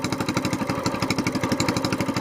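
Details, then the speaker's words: SPS longtail mud motor, cold start on a very cold morning with the choke still on, warming up four to five minutes before an oil change: quick, even single-cylinder putter running smoothly. "it's really cold out here this morning so we're just going to crank it up let them run five four or five minutes get good and warm I've got the choke still"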